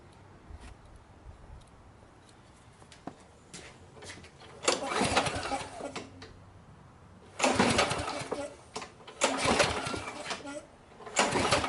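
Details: 6 hp Briggs & Stratton Quantum lawn mower (model 22305X31D), reported fuel leak: repeated rasping recoil pulls, about a second each, never catching; cranks but won't start, cause not yet confirmed.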